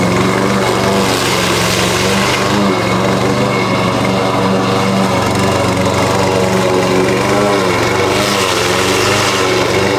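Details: Husqvarna push mower that sat over 4 years, after a clean carb and correct oil level (Rotella T6): steady even single-cylinder drone, no stumbling; runs much better, a loose blade suspected rattling underneath.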